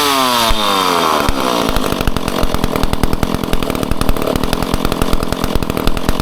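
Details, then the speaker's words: Old McCulloch Pro Mac 10-10 two-stroke chainsaw on 40:1 mix, first test run after full teardown and rebuild: pulls over quickly, speeds up, then holds crisp, regular crackle with no misses; normal running. "There you have it. A fresh old saw that runs. I'm so stoked."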